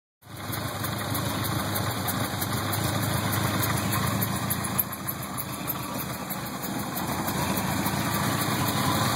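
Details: 1977 Porsche 924 2.0L with CIS K-Jetronic injection: idle beats unevenly, about three lumpy pulses a second with stumbles between them, a rough idle.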